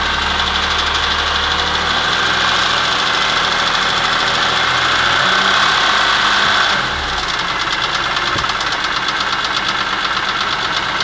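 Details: BMW E46 M3 after a broken rod and piston, rebuilt on a used block with the original head, VANOS and cams: fast, fairly regular bright metallic top-end rattle near three per second at idle; cause not pinned down.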